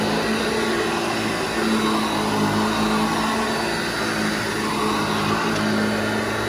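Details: Restored vintage Hoover Junior 1334 upright vacuum, demonstrated after full restoration and reassembly: steady, even motor hum holding one pitch, no rattles or scraping; motor and bearings sound healthy.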